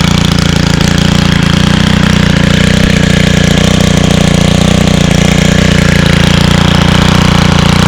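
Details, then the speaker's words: 2022 Stihl FS91 28cc 4-Mix trimmer on TruFuel 50:1, started on choke after priming: runs strong and even, steady buzzing note with clean firing; healthy running. "a that sounds so nice awesome"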